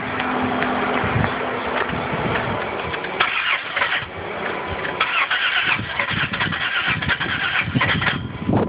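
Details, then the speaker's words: Engine that won't start, no codes found, pumping the gas while cranking: starter cranks steadily with an uneven, choppy churn and no catch; sounds different, owner doesn't think it's a dead battery; cause unclear. "now it sounds different i don't think it's dead battery but it sounds"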